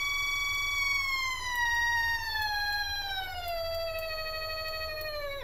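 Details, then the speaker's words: Stepperonline CL57Y stepper driver and motor bench-tested with Centroid Acorn at a typical feed rate, sitting on a wooden bench acting as resonator: clean whistling tone with stacked overtones falling in pitch; runs smoothly. "so there's the motor on a wooden work bench that's that's working like a resonator so you can hear what that sounds like for those of you that are interested in the sound"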